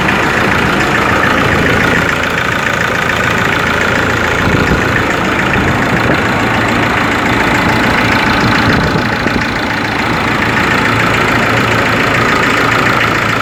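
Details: Ford Ranger 3.0 Limited diesel idling cold: uneven rapping knock around four per second over the clatter; mechanics and injection pump specialist could not find the cause.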